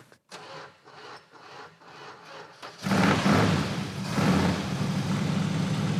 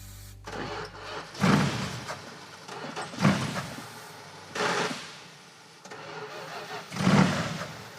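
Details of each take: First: 1970 Buick GS 455 big-block V8, revived after sitting for years, started on starting fluid after the disconnected ballast resistor was sorted: slow cranking, then it catches and settles into a steady, even idle; sounds remarkably good, normal running. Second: 1970 Buick GS 455 V8, revived after years sitting, cranked on starting fluid: four cranking bursts each catch briefly then die as the starter stops. The ignition cuts out because the ballast resistor was disconnected; once fixed it idles.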